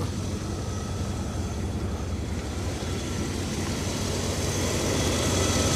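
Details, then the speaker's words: Abandoned Rolls-Royce Silver Spirit III V8, first start after standing for years, with good voltage and oil pressure: smooth, even idle murmur with no ticking, knocking or stumbling, rising slightly; spilled oil burning off the manifold; sounds healthy. "God I can't get over how smooth it is"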